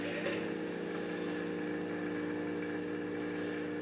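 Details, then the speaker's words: BMW electric water pump on PWM control at 100% duty: steady, even electric hum at a fixed pitch with no rattle; running normally. It stops working at any PWM below 100%. "The noise you can hear here is this water pump."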